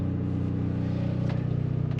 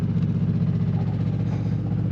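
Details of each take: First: Onan generator in an Arctic Fox 990 truck camper after quieting modifications, noise down from about 70–75 dB to about 60 dB and no oven pan rattle: short stretch of even, low hum; normal running. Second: Onan generator in an Arctic Fox 990 truck camper, heard from inside the camper: a loud, steady low drone with a throbbing pulse, measured at about 70–75 dB. Things inside vibrate, showing excessive noise and vibration.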